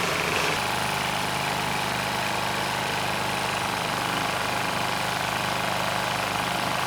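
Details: Powermate SX Power Series 3250 W generator (PM0123250), first start on choke with light load plugged in: uneven, hunting and stumbling run; carb issues make it rough, though the engine otherwise sounds healthy with no knocking.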